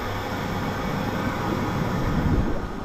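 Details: Jacuzzi tub air blower running, while the circulation pump also works and pump 2 has failed: steady, even rushing hum with no knocks, rattles or pitch wobble; blower healthy.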